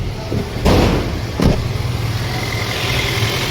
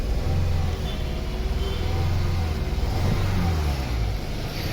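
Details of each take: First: Toyota Corolla petrol engine after the faulty No. 2 ignition coil that caused misfire and heavy vibration was replaced with an original coil: steady, even low idle hum with no vibration at the gear lever, following two brief handling thumps. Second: Toyota Corolla petrol idling rough with a lumpy, stumbling beat and heavy vibration from a misfire; the cause was found to be a faulty No. 2 ignition coil, fixed by fitting an original coil.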